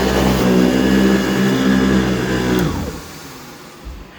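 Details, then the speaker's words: AirVac AV3500 central vacuum in about 23 years of use, running while vacuuming: smooth, steady motor hum with no bearing scream, quieter than before with good power, then winds down and stops; healthy vacuum motor. "works pretty good good power and the motor has quieted down a little bit so you can't you can barely hear it which is good"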